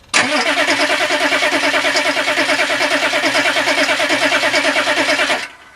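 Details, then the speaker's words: Turbo Weasel diesel with brand-new Bosch glow plugs, after running 10-15 seconds clattering then dying: steady starter churning about three turns per second for five seconds, never fires; owner suspects frozen fuel; crank no start. "Frozen fuel maybe? It was running. It's not good. Not good at all."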